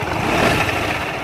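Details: Yamaha ZR BS6 scooter: at start no sound with wheel still, but under throttle a coarse gritty drone rides over engine note; water apparently got in, failing clutch housing bearing in CVT belt drive.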